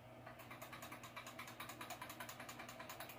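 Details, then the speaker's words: Hatsan Flashpup air rifle with Quatro trigger, gun cocked to lock the bolt; fast light metallic clicking as the trigger is shaken — about a sixteenth of an inch of side play makes the trigger blade rattle, fixed later by a mod. "nothing but that trigger shaking back and forth you know and that just gave me such a such a low-end feel you know"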